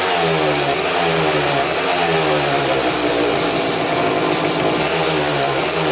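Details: 2000 Suzuki RM250 two-stroke (249cc), unrun two years, fresh premix fuel, cleaned carb, good compression: very loud harsh raspy crackle as it revs; big split in the expansion chamber leaking exhaust, basically straight-piped, needs welding.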